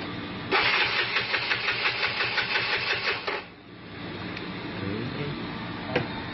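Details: Engine with an MSD SS ignition coil cranks fast and rhythmically for about three seconds, then catches into an uneven, stumbling idle while injection is being tested. Misfire suspected, cause not confirmed.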